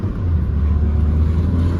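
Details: Volvo V40, thought to be 1.6 diesel, after limp mode with code P00BD air flow too high, faults cleared, test drive: steady low drone pulling away under load, no hiss or whoosh on boost; turbo intake sealed and healthy.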